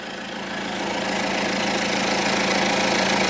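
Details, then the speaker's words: 2002 Citroen Berlingo HDi diesel idling while Lucas Diesel EGR & Turbo Cleaner is sprayed into the intake: a harsh rattling cackle of about three knocks a second, growing louder; the flammable cleaner ignites early, pinking before the piston reaches the top. "we had a problem where it pulled in the intake I rubbed the engine except the load of it in and this is very very flammable which is one reason you could hear that cackling noise that was the engine pinking effectively so ignition is happening before the Piston has got to the top of its travel"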